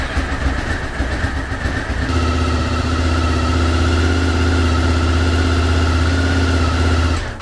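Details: Honda VFR 800 with new ECU and HISS system, after dashboard clock work: starter catches at about two seconds, then steady even idle with no misses until shut off; normal start and idle.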